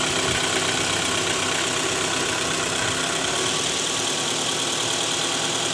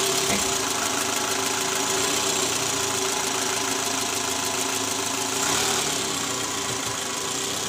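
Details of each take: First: 2012 Toyota Alphard ANH20 2AZ engine, 101,000 km, idling in D: faint irregular metallic jingle from the oil pan area, worse at cold start with A/C on; balancer shaft rattle, shaft later found worn and loose. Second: 2012 Toyota Alphard ANH20, 2AZ engine, about 101,000 km, just started after replacing the worn, loose balancer shaft: an even, smooth idle with no rattle or knock. Before the repair there was a rough "krrr" rattle under the oil pan at morning cold start, in D-R and with A/C on.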